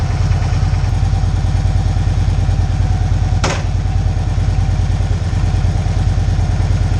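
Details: Victory Cross Country 106 motorcycle, reassembled after a repair for hard downshifting and started to warm up: loud, steady V-twin lope at idle, deep and even with no knock or misfire; normal idle.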